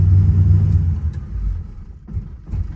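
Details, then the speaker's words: Orange 1970 Chevy Nova with carburetor, shut off hot after driving: engine runs on, chugging in low uneven puffs that fade over seconds; pre-ignition suspected, not confirmed. "What we're dealing with here is a classic case of pre-ignition. Pre-ignition generally occurs when there's something in the combustion chamber that's glowing hot."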